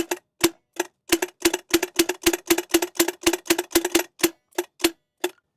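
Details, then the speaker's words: 1984 Peterbilt 359 with Caterpillar 3406 engine, parked 20+ years, hot-wired with jumper cables while starter is struck with hammer. Sharp dry uneven clicks about four a second, no cranking; solenoid actuates but starter won't spin, faulty starter needs replacing. "dude that's so freaking cool it's actuating it's just not spinning hit on it while I'm activating it please okay we need a starter"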